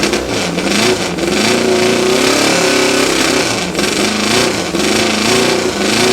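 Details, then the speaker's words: Honda CB750 (VIN K2, 1972) parts bike with straight pipes, 14,061 miles, possibly fuel-starved from a plugged petcock screen: loud, crisp four-cylinder revving and settling back, even firing with no piston slap or valvetrain noise; sounds tight. "motor sounds nice and tight I don't hear any piston slap or any valve train noise"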